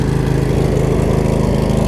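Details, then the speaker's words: Craftsman riding mower with Briggs V-twin, after resealing the valve covers: firm, even idle pulse with a steady rhythm and no misses, knocks or ticking; healthy. "then the car might be slightly dirty but I mean look at idols damn perfect"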